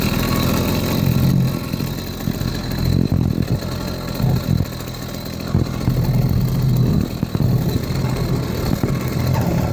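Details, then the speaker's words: 80cc two-stroke motorized beach cruiser bicycle on a ride test, under load: uneven buzzing, surging and sagging instead of building cleanly, lacking power band; rough running, cause unknown (later improved with a new performance carburetor). "It just isn't giving me that power band that should."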